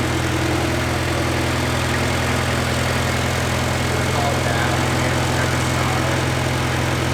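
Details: Honda K20A2 engine idling after its first start-up following build and wiring work; steady low even idle, smooth unchanging beat, no knocks or misses, running well.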